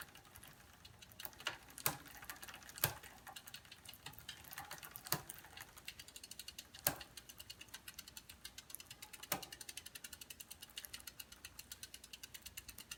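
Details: Bicycle riding: sharp clicks about once a second over fast even ratchet ticking, chain clicking on each turn; cause still being sought.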